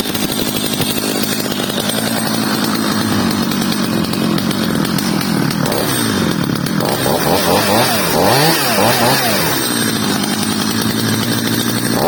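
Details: Stihl 230 chainsaw after repair, fitted with a new bar and chain: crisp, even revving that pulls down smoothly into the cut and climbs back cleanly with no misses or rattles. It runs normally.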